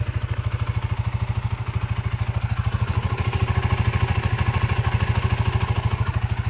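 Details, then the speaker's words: Modenas Z15GT after warranty repair: even single-cylinder thump at idle with no ticking or rattle, quiet top end now. "Alhamdulillah dah senyap dah."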